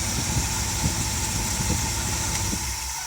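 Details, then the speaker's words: 1971 Dodge Pace Arrow 318 V8 after a Pertronix Ignitor and coil install, run shortly before so not fully cold: a steady, even low rumble with no misses or knocks; idling smoothly and healthily. "sounds pretty darn good [Applause] sounds pretty good to me"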